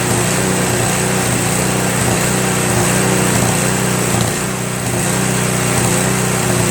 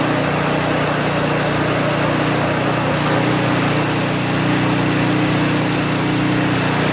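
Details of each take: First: Craftsman Trac Plus 23" snowblower, 5HP Tecumseh, after a year's storage: at full run with choke fully off, slight surge, pitch dips and recovers; one click of choke stops it. Owner suspects debris in the carburetor bowl. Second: Craftsman Trac Plus 23-inch dual-stage snowblower, 5 HP Tecumseh single-cylinder, cold start after a year stored without stabilizer, fresh gas, full choke: steady even buzz at constant speed, no misses or knocks; healthy idle.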